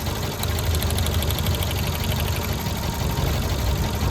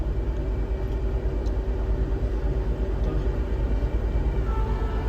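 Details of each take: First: Tata Zest petrol at idle, rough and lumpy with an uneven low thump. A coupler was unplugged and the engine gave no response, so it runs on three cylinders with cylinder 4 dead. Scan shows P0304 and P0300; cylinder 4 injector/coil problem suspected. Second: Tata Zest petrol after fixing a cylinder 4 misfire, stored faults since passed: smooth, stable low idle with an even beat and the AC on, no stumbles or dropouts.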